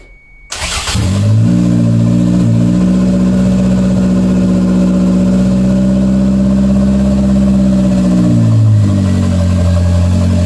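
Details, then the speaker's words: 1992 Toyota MR2 project car with an open vacuum outlet capped off: catches fast, settles to an even idle hum, revs smoothly and drops back cleanly, no smoke; normal idle and rev. "all right guys I don't know if you can hear me very well but it's idling pretty good um the good thing is that there's no smoking or anything like that so I'm pretty happy"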